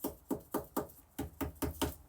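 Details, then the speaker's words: Boat bilge hatch tapped: eight dull, dead taps about four a second with no ring or bounce, like an old dead drum; localized rotten, crumbling wood whose fiberglass covering isn't holding, to be cut out. "Sounds like old dead drum. So we're gonna try to get this thing out of here without ripping it apart."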